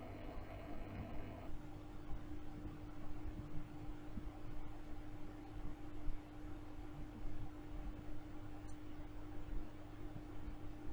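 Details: OASE Biomaster 850 Thermo aquarium canister filter: only a faint, steady low hum over quiet room noise, with no rattle or grinding. The owner had noise issues; a phone app measured 40–50 dB. Normal quiet running.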